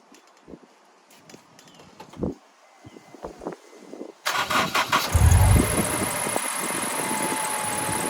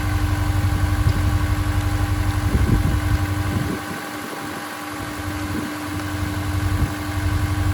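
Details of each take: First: Honda S2000 engine starts and idles with a faint steady squeak and a slightly uneven beat. The owner suspects the accessory belt, recorded before belt replacement, plus a small misfire that appeared while driving the day before. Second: Honda S2000 at idle after new Gates belt, part 6PK1460, replaced a squeaking one; even steady low drone with no chirp or squeal, belt drive quiet and healthy.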